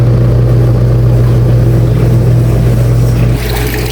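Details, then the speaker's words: Top-load washing machine after wash motor replacement, filled with water: smooth steady low hum as the drum turns, no rattle or grind; the earlier intermittent noise is gone, running fine. "Umaandar na siya at yun, nilagyan nga natin ng tubig. At wala nang ingay siya. Okay na siya."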